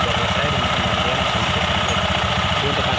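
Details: Fuel-injected scooter idling after CVT cleaning with only the bearing replaced: rough, uneven rattling beat over the engine; noise from the CVT or engine, cause unclear.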